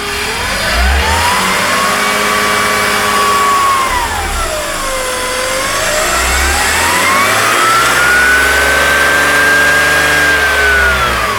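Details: BMW E46 M54B22 engine: clear whistle starting about 10 s after start, rising and falling with rpm near intake manifold; intermittent; after vacuum leak codes 203, 204, 227, 228, oil separator and hoses replaced.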